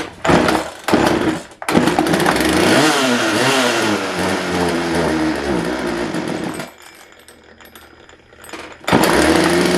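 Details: Craftsman 42cc chainsaw in a very cold unheated shop: bursts into revs, surges and sags unevenly, nearly dies then catches; rough, fuel-starved running, owner suspects it only siphons fuel from the venturi rather than pulling it through the carb diaphragms.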